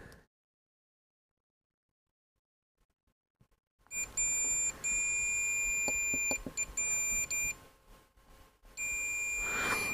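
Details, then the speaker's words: Sony ICF-SW100 radio repair, multimeter continuity test on SMD tactile switch: steady high beep whenever probes touch, dropping out between contacts; switch confirmed connecting, switching on that side. "that's connected so yeah it must switch this side then"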